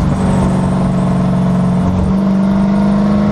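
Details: 2011 Dodge Charger, camera on left rear suspension facing the differential: steady low whine from the rear end, first only around 60 mph, now after 5000+ miles at all speeds and at idle both cold and warm.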